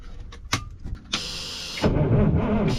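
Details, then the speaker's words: 1980s Marmon cabover semi diesel, unrun about 18 years: key gave nothing, no 12 volts at the starter solenoid switch terminal; jumpered, a few clicks then the starter cranks steadily, confirming the engine isn't seized or in gear. "So what happens? We got nothing. We bumped the key. Okay, that's disappointing. Let's do some testing. All right, so with a little testing, I determined that I wasn't getting 12 volts to the switch terminal on the solenoid"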